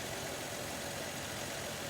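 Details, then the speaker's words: 1947 Dodge D24 Deluxe six, unrun over 6 months before: quiet, soft, even idle with no ticking, knocking or misses; normal idle. "okay let's see if uh move what this thing is so smooth"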